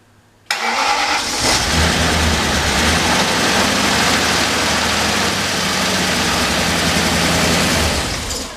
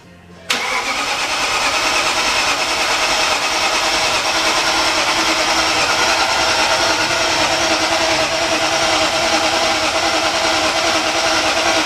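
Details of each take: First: Engine on first start after reassembly, clutch in: it catches and holds a rough idle for about seven seconds, then dies away when a fuel feed line pops off. Stall from the disconnected fuel line. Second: Freshly rebuilt BMW S62 V8, first start attempt, cranked with the fuel pump relay removed: steady starter whir with even compression pulses that never fire, a dry crank without fuel.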